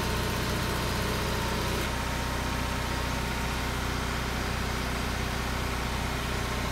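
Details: Onan 5CCK 5000 W generator on a transfer switch carrying about 1400 W household load (refrigerators) before the 3-ton AC is switched on; deep steady drone at even pace, no misses or knocks; healthy.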